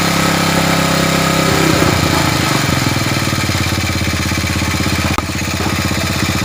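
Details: Old Honda Supra motorbike with compression loss from a leaking valve, after oil refill: small single fires up and settles into an even, steady putter with no misses.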